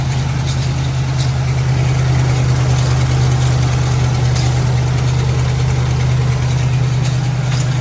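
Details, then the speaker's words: 1997 Lincoln Town Car Signature that sat 2 years after timing chain failure: loud steady low V8 idle with faint busy rattle from the engine front; owner unsure if timing chain or tensioner, supposedly replaced; wants to die with throttle. "yeah here's some rattling around the front there i don't know if it's a timing chain rattling or the tensioner supposedly that stuff was supposed to have been replaced"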